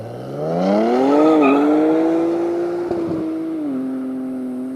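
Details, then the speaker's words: 2023 Nissan Z (RZ34) just fitted with Pride Auto high-flow-cat full downpipes: cold start with a quick rev settling to a steady, high cold idle; loud, smooth exhaust note. "All right, so we are going to get a proper cold start. Oh, it's definitely louder. Oh yeah."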